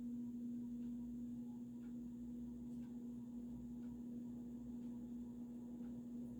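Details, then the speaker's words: Vintage early-1980s Supreme Mark II 52" spinner ceiling fan running in reverse on high, wobbling slightly: steady hum with a light tick about once a second from the loose glass light globe rattling. "And now you can hear that annoying noise from the globe, of course."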